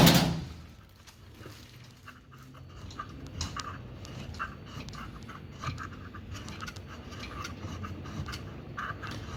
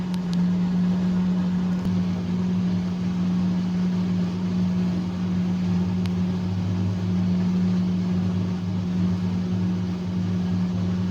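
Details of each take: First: Fisher & Paykel direct-drive washing machine motor turning: low rumble with irregular metallic grinding and scraping bursts, no wash or spin; a broken plastic part inside the motor grinding, requiring replacement. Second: Fisher & Paykel direct-drive washing machine that had been grinding and would not wash or spin: steady low motor hum with a constant tone, running smoothly with no grinding or scraping.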